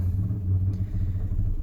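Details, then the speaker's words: 2005 Nissan Murano towed in with dash lights on: it cranks right up, then dies almost immediately and refires. The idle is an uneven, lumpy rumble that sags and can't hold, as unmetered air leaks in after the airflow sensor. Stalling from vacuum leak. "this is what it does cars right up but then dies almost immediately um but it'll fire right back up again just like that"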